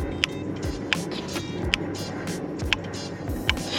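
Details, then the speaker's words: Mercedes SL with non-working rear window heater: crisp single clicks about once a second from the defroster relay as the rear defrost button is pressed, with voltage reaching the rear window; relay switching. "so it's definitely clicking now whether the relay is actually doing its thing is another story"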